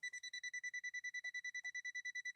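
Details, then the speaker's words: Non-contact voltage tester held to a lit lamp on a Swedish machine powered through a step-up converter. Rapid, steady high-pitched beeping about eight per second warns that voltage is present. "you hear that it's warning us it's saying danger danger danger there's voltage there there's voltage"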